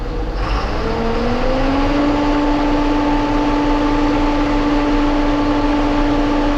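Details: John Deere 7830 tractor diesel after replacing a seized VGT turbo actuator that caused derating: settles from a rising whine into a smooth steady even hum; judged fixed.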